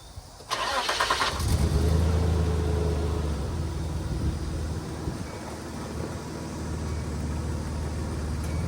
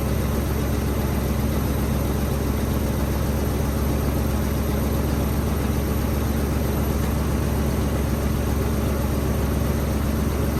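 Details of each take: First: Nissan Hardbody pickup bought at auction, sat for months, fresh oil change and 5 gallons of fresh gas added to old fuel; revs fine when eased up but flutter and stumble when throttle is stabbed; owner suspects spark plugs, plug wires or old gas. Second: Nissan Hardbody pickup, auction truck sat for months, on fresh gas and a hot battery, with 185,000 miles showing on the odometer: took a while to fire, then a steady, even low idle with no knocks, misses or squeals; normal idle.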